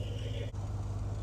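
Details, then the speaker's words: GMC Yukon XL under restoration, started after the gas pedal was fixed and with no fluid leaks seen: a low steady idle rumble with an even pulse and no knocks or whines. It runs normally, though clicking persists under the dash. "I think we got her. I have to get in and put it in gear and move it. But I mean, it runs so good."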